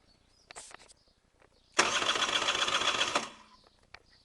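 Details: Honda NSR 125R with a broken spark plug: one short burst of cranking, about a second and a half, with no firing or catch; it won't start.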